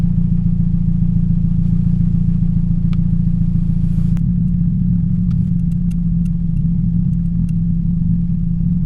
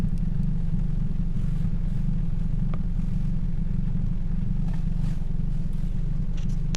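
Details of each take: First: 2007 Toyota Yaris 1.5L 1NZ-FE at idle: an uneven, stumbling beat that drops out now and then, a cylinder 3 misfire from a bad ignition coil, before replacing coil packs and plugs. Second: 2007 Toyota Yaris 1.5L 1NZ-FE four-cylinder; smooth, even low idle rumble with no stumbles or missed beats, running clean.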